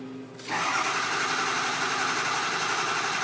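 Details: 6.0L Powerstroke with crank no-start and low ICP, cranked after replacing the original IPR valve while ICP builds and the high-pressure oil rail fills. Quiet cranking with faint whirring, then at half a second a loud, steady roar as it catches and keeps running.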